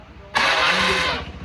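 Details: Honda Scoopy scooter after replacing starter clutch/one-way gear parts and starter motor cover for a starts-but-won't-run fault: short starter whirr, engine catches at once and settles to steady idle; slight starter motor noise noted.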